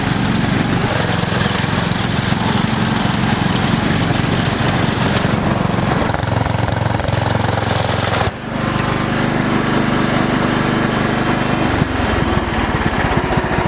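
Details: Cheap MTD lawn tractor during a durability test: the engine runs rough and uneven with a loud chattering roar and a shift in tone partway. The owner suspects a slipping belt, which later kept slipping off and was replaced with a new belt.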